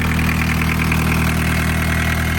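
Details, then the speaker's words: Barn-find VW Caddy pickup, off the road over 20 years: steady, even diesel idle with a light regular tick, not missing, no stumbles or missed beats; running smoothly and healthy. "That is exciting. It sounds perfectly fine, doesn't it? It's not missing or anything, it's just tickling I away."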